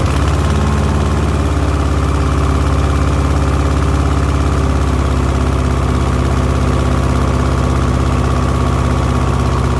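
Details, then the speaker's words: 1970s Layton roller compactor with a Ford Taunus 60-degree V4 that ran about 20 seconds then died (fuel delivery was suspected): after sanding the ignition points, it holds a low, even, steady beat with no misses; fixed. "all right that sounds like we fixed it"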